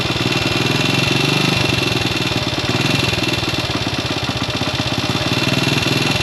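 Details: Classic Italian Gilera 124 5V lightweight, fresh off the workbench, on its first proper road run: uneven idle, beats stumbling at about three a second with odd pops. Owner suspects it is only carburation; jetting, plugs and points timing are still to be checked.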